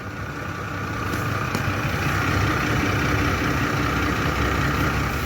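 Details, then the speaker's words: Petrol V8 truck at idle with one bank running well and the other not: busy, diesel-like clatter over a low, uneven rumble. Owner suspects a bad cam phaser; a cam phaser job is planned. "that sounds like a diesel so that cam phaser's terrible"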